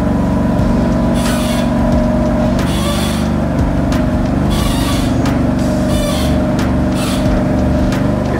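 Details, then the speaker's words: BMW M3 at idle while steering: irregular, gritty crunching bursts every second or two over a steady hum from the steering column area; steering rack believed worn, replacement planned. "okay so I have a sound coming from my steering wheel steering column steering rack I don't I don't know what this sound is guys and it sucks"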